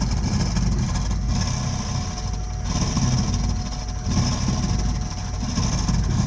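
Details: Burnham Alpine boiler with a continuing loud-noise problem: deep, heavy roar that swells and eases every second or so; loud combustion, cause not yet known.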